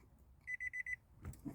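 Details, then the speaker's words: 2013 Nissan Altima S with a hard-starting complaint: four quick high beeps then a soft click as the push-button start repeatedly reports no key, wrong key ID, until the key is held close to the transponder. "See, it says no key. It continuously says no key, wrong key ID."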